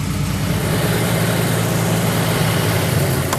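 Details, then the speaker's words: Buick Grand National, engine at 144°, after reseating an injector with a broken clip (plugs were wet): low, lumpy idle with an uneven pulse and stumbling beat; keeps running but misses, rough idle, better than before. "I'm going to go out on a limb and say it's running terrible, but it's running decent compared to what it was. It idles at least."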